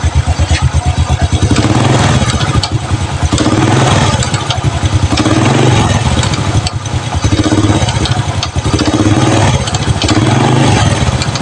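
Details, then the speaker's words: Honda Supra Fit New motorcycle idling: fast, light keletek clatter from the clutch housing, a common fault on this model, attributed to a slack balancer gear spring. "Jadi suaranya seperti itu ya. Ada keletek keletek keletek keletek dan keletek ya. sangat memusingkan dan sangat membingungkan ya."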